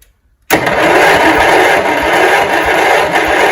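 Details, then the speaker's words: 1971 John Deere 140 H1 lawn tractor, long parked, first crank: starter spins the engine at an even rhythm with steady pulses, no firing, but compression sounds healthy. "Oh yeah, it's got spark, or it's got compression."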